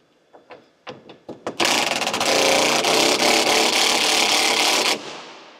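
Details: Lamborghini Gallardo, long unused and apparently flooded: a few short cranking bursts, then the engine catches and settles into a steady, loud, even roar. Normal start.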